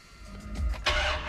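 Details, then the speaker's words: Ram Hemi truck cold start after sitting overnight, weak-crank issue worse when hot: starter drags and hesitates briefly before the engine catches; loose battery terminal suspected. "you hear that you hear how it it kind of hesitates it stumbles maybe the word i'm looking for is it drags"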